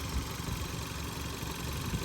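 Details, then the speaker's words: 2014 Hyundai Tucson at idle, checked for engine knock: a steady low idle with a light even ticking that the owner attributes to exhaust leaks and the high pressure fuel pump working normally; no knock heard. Normal idle. "the song I hear right now is the exhaust leaks and that of the high pressure pump doing what it's supposed to do"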